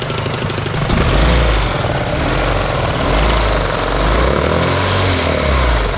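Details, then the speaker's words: 1998 Acura Integra at idle: heavy, uneven slapping and thumping low down as the harmonic balancer flops loose; power steering and alternator (and likely AC) then lost. "The harmonic balancer is just slapping around down there."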